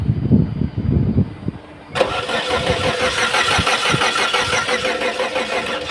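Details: Engine cranks briefly after a few clicks and handling noises, catches into a steady idle; starts after a no-current, no-start bypass check.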